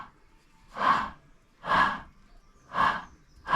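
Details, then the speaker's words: Rear differential (pont arrière) removed from a BMW 123d (N47 diesel), turned: rough metallic rasping in bursts about once a second, same noise as when driving, like metal rubbing; no oil leak; worn differential bearings, to be replaced. "Et ça fait exactement le même bruit en roulant. Un bruit de... Je sais pas comment dire ça. De métal qui frotte, je dirais."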